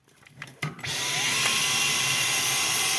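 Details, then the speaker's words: Dyson V12 vacuum brush roll that didn't rotate, after regreasing the motor gears (dried grease suspected of jamming them): a few handling knocks, then steady high airy whir with no grinding or catching; brush now rotating quickly. "And as you can see, friends, now the motor, now the brush is rotating quickly."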